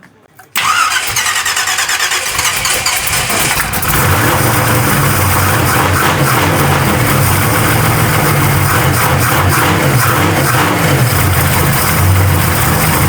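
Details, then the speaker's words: Truck engine on an old Edelbrock carburettor just installed, idle mixture a turn and a half out, transfer slots squared, no choke yet: runs at a raised, hunting speed but won't settle to idle; carburettor needs tuning. "SHE WON'T IDLE, BUT IT DOES RUN."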